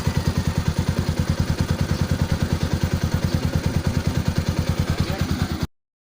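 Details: Kawasaki Rouser NS/RS 200-class engine after fixing a tappet noise with new intake and exhaust rocker arms and timing chain; even steady thump about twelve beats a second, no ticking; clean healthy idle.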